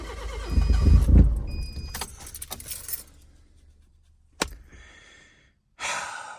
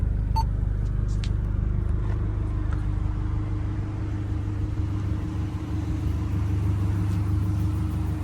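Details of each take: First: Kia cranking but not starting, before the new camshaft and crankshaft position sensors are installed: brief steady starter churn at about four turns a second with no catch, then keys rattle; owner suspects the cam and crank sensors. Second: Kia engine finally running after timing work: steady low rumble with an even beat, no misses or surges at idle; belt squeal on starts that disappears once warm.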